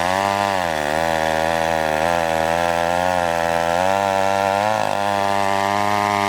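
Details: McCulloch 1-42 two-stroke chainsaw, restored project saw, cutting wood: high, strong buzz dips and recovers smoothly as the chain bites; pulls cleanly under load.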